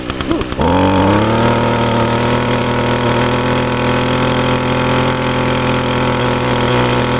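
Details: Echo two-stroke string trimmer, started on choke and primed; smoky at first. It catches after a couple of pulls and settles into a steady, even buzzing high idle with no misses: normal running.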